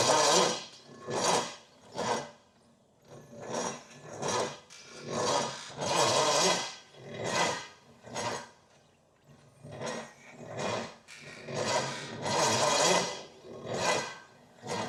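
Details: $500 used Pontiac 455 on a last attempt with an extra battery and a jump pack added for voltage: slow, labored cranking in uneven pulses about once a second that never catches. Owner thinks the starter is nearly cooked and plans to check for spark and the ignition module.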